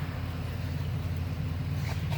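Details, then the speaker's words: 2009 VW Jetta 2.5 misfiring badly at idle: low, uneven, lumpy idle with stumbles. The crankcase ventilation valve in the valve cover failed, leaving oil in the intake and causing a vacuum leak. Found when the throttle body was removed for cleaning. "we had an oh nine so Volkswagen Jetta come in miss firing like crazy idle it's got the two five in it"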